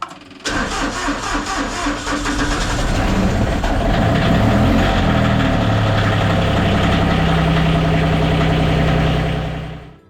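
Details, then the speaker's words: Massey Ferguson GC2300 diesel tractor at −26° after glow plugs and a battery charger or booster: it cranks briefly, catches and clatters up to a steady, even idle. A normal cold start after earlier failed attempts. "So we put little glow plugs on her. That sounds better, right?"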